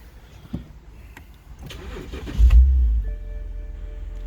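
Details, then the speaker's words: 2009 BMW 128i convertible on pre-purchase inspection: brief starter whirr, quick catch and flare, then quiet even idle; battery charging about 15 V; normal start and idle. "as you see runs pretty smooth radio seems to work heat and a/c seem to work still"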